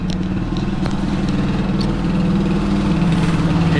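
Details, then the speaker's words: Frankenbike motorcycle project, idling 5-7 minutes after rebuild with new cam chain: even low putter holding steady idle, no ticking or rattle standing out; earlier slight cam-chain-like noise now less noisy, owner thinks oil is reaching everything. "She's running. The engine and the dog had a slight noise in the engine, like maybe a cam chain, even though I replaced it. New cam chain, everything's tight. but that doesn't seem to be as noisy anymore."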